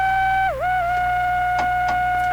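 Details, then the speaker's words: Hammarlund SP-600 tube receiver (5U4 rectifier fitted instead of 5R4), powered up on variac during terminal strip tests: steady high-pitched constant tone that shouldn't be there, dipping once; cause not yet found. "it's kind of a bad sign you shouldn't be making that sound all the time"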